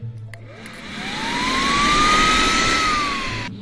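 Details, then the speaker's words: VW secondary air pump, removed from the car and powered directly on the bench: blower spins up to a steady high whine, holds smoothly, winds down evenly; pump works normally, owner suspects relays aren't triggering pumps on startup. "Both of them work. We haven't We haven't heard them when they've started up so it potentially they might the relays might not be flicking them on."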